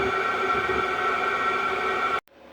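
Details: Diesel heater on a test run, powered from a battery through crocodile clips: an even, steady fan hum with a clear mid-pitched tone and no knocks or surging until it is switched off. It is running normally.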